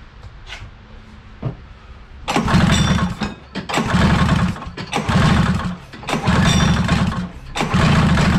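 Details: 1983 Polaris Indy Trail 440 two-stroke snowmobile, barn find revival, carbs removed for cleaning: pull-starts and catches, then runs in uneven surging bursts with gaps, rough and flooded-sounding; owner suspects far too much fuel, possibly gasoline in chain case oil.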